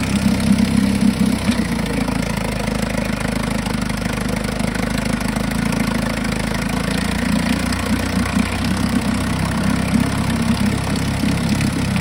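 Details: 1952 Johnson SeaHorse 10hp two-stroke outboard revived without carb rebuild or new impeller; steady even buzzing idle, quick regular firing beat, no knocks or misses; healthy, though needs pull rope, O-rings, grip and gas leak fix.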